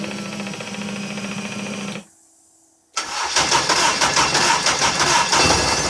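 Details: Honda K24 engine, first start on custom exhaust project after adding 2–3 litres of fuel; fuel pump hums, then the engine catches at once and runs evenly: normal start.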